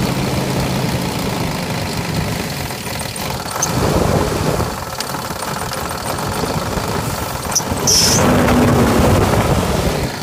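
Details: 2000 Jeep Grand Cherokee Laredo 4.7 at 175k, replacement block after head gasket failure and overheating: rough running with tapping knock and loose rattle, sputter between 1000-1500 rpm, misfire/coil codes; mechanic diagnosed two slapping pistons and slack timing chain.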